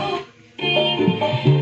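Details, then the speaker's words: V-tech 720.4 car monoblock amplifier after resoldering a joint, channel that had weak vocals: music plays clean with crisp drum hits and clear tones, no crackle or dropouts; vocal output now normal. "ternyata Alhamdulillah di nada vokal sudah normal ya"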